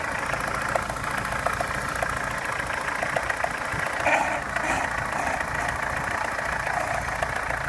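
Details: Opel Omega A Caravan 2.0, rough idle, owner hears two knocks, one diesel-like and one tapping: dull irregular knock under a lighter tapping, roughly two a second; cause unknown.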